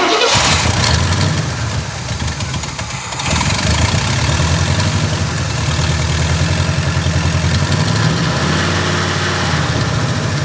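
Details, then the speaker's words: Quadrajet-carbureted Rocket 350 Cutlass after the idle mixture screws were set two turns out from closed. It starts on cranking and settles into a fast, uneven, slightly hunting lumpy idle; a vacuum leak remains, though it is being narrowed down. "it still has a vacuum leak but we're moving closer to the problem"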